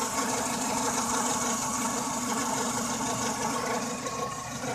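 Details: Engine at idle during a timing belt service: loud, busy whirring rattle on top from a worn, overtightened timing belt tensioner pulley.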